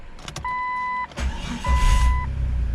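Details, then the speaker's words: Jeep Cherokee with a dealership crank sensor replacing a faulty one (two aftermarket ones wouldn't start it): door chime, short crank, then it catches at once and settles into an even idle with no check engine light; bad crank sensor fixed. "Man, it sounds good. Starting right up. It's purring like a kitten now."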